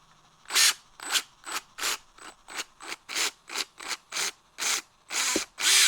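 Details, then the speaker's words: Traxxas Slash 2WD VXL motor that had been overheating, spun with the pinion off: short gritty high whirring bursts, not spinning smoothly or balanced; the front motor bearing has fallen apart. "see how it's not spinning smoothly the bearing fell apart at the front of the motor"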